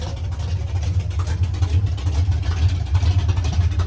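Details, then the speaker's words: "53" V8 race vehicle (Trash Can) after rebuild, running after fixing a funky sound (collector bolts/washers added, starter clocked as it seemed to stay engaged): smooth deep rumble, even throb, no rattle or knock; healthy. "Much better. Oh yeah, I got special sauce mounted too. No more funky sounds."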